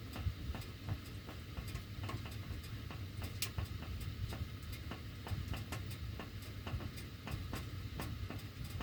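Uneven light ticks and pops, roughly two a second, over a low blower rumble; the ducts are ticking while the heat runs, cause unclear.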